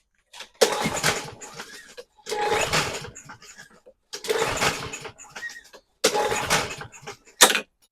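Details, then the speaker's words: Murray EX550 push mower with a Briggs & Stratton engine that sat outside over winter: four quick pull-start cranks, each whirring and dying without catching. No start; carb clean needed. "right, so you see it didn't start."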